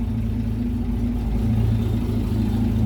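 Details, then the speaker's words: Land Rover Series 3 109 2.6, warm engine at idle: steady, deep, slow rumble with even beat; revs a bit low while oil pressure builds up well; carburettor needs choke and fine-tuning; low idle speed. "the revs are a bit low but the oil pressure is building up"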